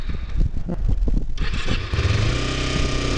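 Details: Kawasaki Ninja 250R inspected as a used learner bike: the engine catches with ragged, uneven coughs and pops for over a second, then settles into a rough, steady run, misfiring on startup.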